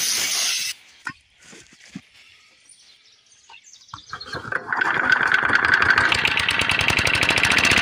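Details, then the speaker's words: McCulloch H1500 1500 W portable generator with a 3 hp Briggs & Stratton gasoline engine, started on choke at low idle: it picks up after a quiet start and settles into a fast, steady, even buzz, running and making power normally. "so you guys can see in here that it does run it does make power"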